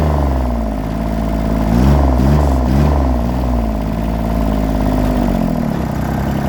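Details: John Deere 332 at 64°F, run over an hour earlier that day and not fully warm. Low wavering, hunting note with uneven stumbles; misfire with smoke that is worse cold and improves as it warms.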